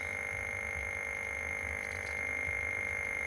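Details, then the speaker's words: Atari 1040STFM showing a white screen with the keyboard unplugged: steady high whistle with a fainter low hum, unchanging; the tone is attributed to the missing keyboard. "Just a white screen. That's what that noise is cuz it's keyboard's not plugged in. That's strange, isn't it?"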